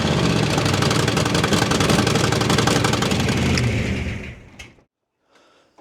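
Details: Holden 5.0L V8 Commodore, first fire-up after reviving the fuel, cooling and electrical systems; exhaust bolts left untensioned, so a loud raw V8 rumble with a sharp puffing tick on every firing pulse until shutdown, likely an exhaust leak.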